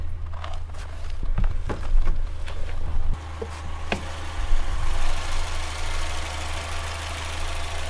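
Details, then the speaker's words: 2.3-litre engine with Pulse Air injection in an RWD car, idling with the hood up: steady low rumble, a few handling clicks and rustles early on, Pulse Air faintly audible; running smooth and even, healthy idle. "So this is 2.3 liter, and it has the Pulse Air injection system. But you see, it's running pretty well."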